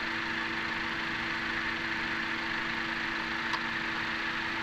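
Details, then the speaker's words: 2017 Honda Accord idling smoothly and steadily after Gumout All-in-One fuel system cleaner reduced combustion chamber carbon; the earlier pinging/knock from deposit buildup is gone. "also more importantly the engine knocking is gone let's listen here's the before and here's the after"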